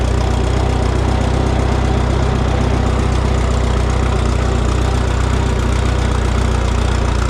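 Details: Minneapolis Moline GTB tractor after reconnecting its unplugged temporary ignition coil: steady low, even idle pulse at roughly four beats a second, no misses or knocks; normal idle.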